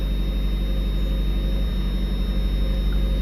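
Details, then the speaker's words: Cold 1994 Mazda Miata idling a little rough just after first start following months stored since October, left idling without throttle to let fuel and oil pressure build; low steady drone with slightly uneven pulse, about four beats a second. "idling a little rough we're not going to go we're not going to hit the gas we're just going to let it idle let it let the fuel pressure work its way up the oil pressure do its thing"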